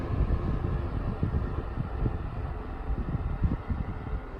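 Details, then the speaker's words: 1992 Super 8" box fan model BF1000 (120VAC 30W, 3-speed shaded-pole C-frame motor, plastic blades), after cleanup and motor servicing, on low speed: very faint quiet startup, soft steady low whir and good breeze, no rattle or scrape; normal running. "here it is on low it's got a very faint startup sound very quiet and low it's a good breeze coming out of it [Music]"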